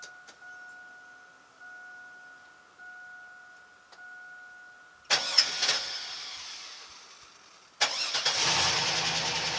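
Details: 2001 Chevy Silverado Z71 after fuel pump replacement and ground reconnected: faint electrical ticking, cranking burst, then fires and holds even idle; fuel delivery restored.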